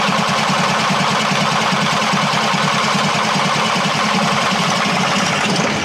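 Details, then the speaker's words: Bus whose engine died on the motorway after a sudden noise from the engine compartment: steady, even cranking that never catches, nearly starting. No start due to a fuel delivery fault, no fuel reaching the engine. "Cela signifie que nous avons un problème de carburant. Il n'y a pas d'arrivée de carburant !"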